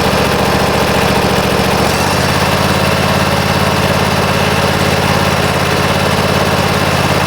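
Mower engine catches and settles into a steady, even putter with no stumbling; starts and idles normally.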